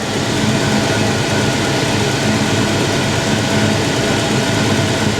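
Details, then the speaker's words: Foxbody Mustang V8 back to stock cooling fans, just started on a basic street tune with 87 octane, heat on, warming up for the thermostat to open: steady, even low rumble with no misses, knocks or ticks; healthy normal idle. "she sounds healthy she sounds happy"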